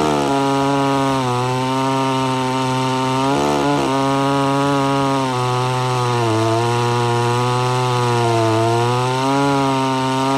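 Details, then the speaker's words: Homelite Super XL-925 82cc vintage two-stroke chainsaw, governor blocked off, cutting wood: steady howl dipping as chain digs in, recovering cleanly; tuning judged spot on. "i think i got the tuning pretty much spot on though uh if i really dig into the wood she digs in good"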